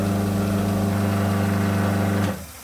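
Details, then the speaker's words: 9-year-old Hafco Woodmaster BP-305 12-inch bandsaw running with door open after lower wheel tune-up, circlip refitted and belt tensioned: smooth steady low hum, no knocking, rubbing or flutter, then winds down; much better than before. "that sounds a lot better than previously so that's a great result"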